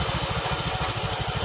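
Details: Honda Vario 125 LED scooter, previously totally dead electrically, now running: even, quick low putter at idle with a steady beat and no misses; the engine idles normally.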